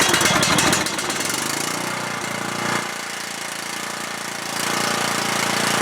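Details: Cub Cadet lawn tractor, single-cylinder Kohler Courage engine, hot day: starts and runs ~30 seconds, then single-cylinder thumping runs unevenly, sagging and picking up as it labours before stalling and dying; dirty carburetor or bad gas suspected, ignition unconfirmed.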